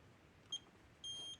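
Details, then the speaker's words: Older Gallagher Smart Scale 200 cattle scale indicator after circuit board repair and battery change, tested in manual mode; short high beep then longer beep as button locks weight, normal. "Now if I press the button, it should lock on."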